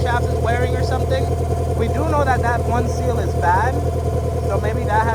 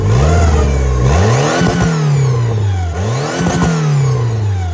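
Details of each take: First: Turbo B18 VTEC (LS-VTEC) Honda Civic EK hatchback at warm idle with everything on: steady whine over the engine, suspected in the valve cover (camshaft) or possibly the alternator; idle-air control also compensating, possible vacuum leak. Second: Turbo B18 VTEC (LS-VTEC) Honda Civic EK hatchback, run without power steering belt: crisp throttle blips, revs climb and drop cleanly with smooth even tone, no rattle or slap; much better.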